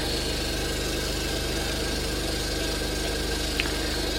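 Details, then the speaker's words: RV fresh water pump running steadily while flushing chlorine through cold lines during tank sanitizing: even motor buzz at one pitch, no surging or rattle; pump operating normally. "Next thing we're going to do is you're going to run your water until you smell chlorine. And you can hear the pump running, and it may take a couple of minutes."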